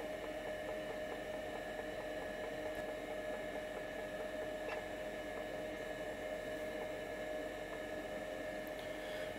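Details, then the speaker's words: Seagate ST-277N 65MB 5.25" drive converted to ST-277R RLL with ST-251 board, cruising through format after bad cylinders: steady spindle whine with light head ticks, no grinding, sounds like clockwork; healthy drive. "But this thing's cruising right along now. Still sounds like clockwork. It's very nice drive"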